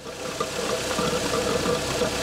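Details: Toyota Altezza 3SGE Beams with Panic individual throttle bodies, after rebalancing the ITBs: steady, even idle with a crisp intake note, no hunting or misfire; MAP reading steady at 47, throttle bodies well balanced.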